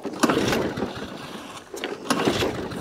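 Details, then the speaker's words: ATCO rotary mower with Briggs & Stratton engine, pull-start; fuel coming out of air filter, possibly flooding; three or four isolated pops after each pull then dies, won't keep running; spark plug suspected failed, not confirmed. "all right let's put a new plug in i dare say that plug's failed"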